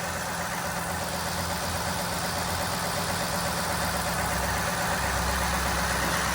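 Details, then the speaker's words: Ford F-150 V8 idling smoothly and quietly with a steady low rumble after fixing a knocking and ticking noise: camshaft phasers (gears) were replaced and a tensioner that had no pressure was repaired. "pero el sonido que estaba feo por fin se le quitó aquí se o la troca serenita"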